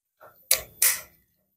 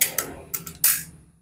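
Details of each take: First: Predator PCP air rifle that was shooting with random accuracy, blamed on an uneven hammer-spring strike, test-fired at about 20–25 m with JBS pellets: sharp, clean single cracks spaced seconds apart, now sounding consistent. Normal discharge and accuracy restored. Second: Predator PCP air rifle with erratic accuracy, firing JBS pellets before disassembly: four or five sharp cracks, some loud and some noticeably softer; inconsistent shots, hammer spring suspected but not confirmed.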